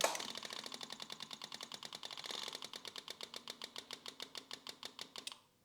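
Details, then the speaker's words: Yamaha YZF1000R Thunderace during rebuild, before a start attempt: rapid even ticking about eight a second that settles and stops as pressure builds; normal fuel pump priming. "oh that fuel pump now sounds like it's pressurized almost you"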